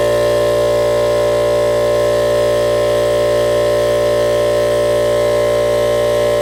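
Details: Ridgid air compressor running with a steady motor hum and a fast, even pumping pulse, building from about 70 to 150 and then 160 psi; the reported pop-off valve problem did not show, and it pumped up normally.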